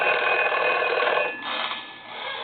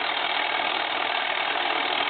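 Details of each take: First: Foreign desk-style telephone from Paris, final checkout after conversion to touchtone and design changes: bright bell ring fades out, then two short taps; ringer sounds clean and strong, working normally. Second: Foreign desk telephone, possibly a German post office set, converted to touchtone, ringing with the bell turned to its flat side: two seconds of buzzy mechanical chatter with no bell tone; ringer solenoid still clacking.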